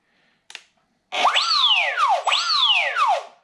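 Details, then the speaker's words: Electric RC trainer plane powered by LiPo battery: two clean motor whines sweeping up and down with throttle blips, no rattle or grinding; normal motor run-up. "so the motor is working as well the throttle's working so that's all good"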